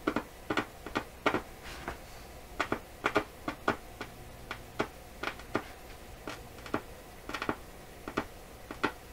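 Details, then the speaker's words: Florida AM/FM/SW tube radio under troubleshooting for possible output-tube overheating and scratchy AM/shortwave reception: irregular sharp pops and crackles come and go, as if something is loose; source not yet found, possibly what burned parts. "Still sounds like there's something kind of loose here."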